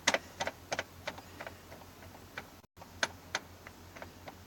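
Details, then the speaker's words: Black Betty, cold start after a month and a half sitting: sharp irregular clicks about three a second with dash lights strobing, no cranking or firing; no-start clicking, cause not pinned down. "I don't know if you can hear it okay it's gone now but it was just ticking at me and the lights strobe thing"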